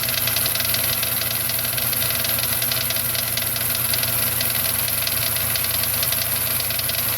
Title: FZJ80 F80 1995 Land Cruiser engine knock